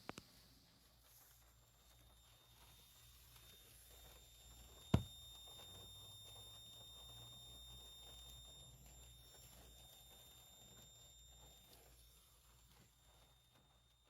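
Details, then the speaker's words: TOOGOOR 12V EL wire inverter (transformer box), recorded with the phone held right up to it: a faint, thin high-pitched squeal over a low hum, which is coil whine and fairly faint in normal use. "now don't get me wrong i know that's a horrible sound uh it's not that noticeable"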